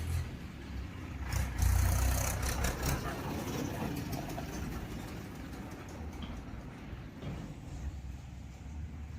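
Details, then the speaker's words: Fully restored 2016 Passion Pro single-cylinder motorcycle at idle after rebuild: steady even thump with soft low beat, no tapping or rattle; engine beat sounds perfect. "Beating కూడా ఎలా ఉంది అంటే బండి beating ఎలా ఉంది ఏంటి అనేది చాలా అంటే చాలా పర్ఫెక్ట్గా వచ్చింది."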